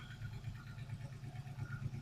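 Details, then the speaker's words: Ford Fox-body Mustang V8 started after 3.5 years sitting, cold idle: deep lumpy idle with faint quick lifter tick, expected from bled-down lifters. Cause suspected, not confirmed. "Now I expect it to be ticking a little bit. I'm sure the lifters have bled down some,"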